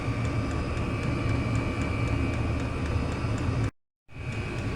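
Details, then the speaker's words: Chinese diesel heater running on kerosene with its cover off: steady low burner roar with an even tick about three or four times a second. This is the fuel dosing pump working normally. "we've just took the cover off and there's a little pump ing away tick tick tick tick pumping the diesel"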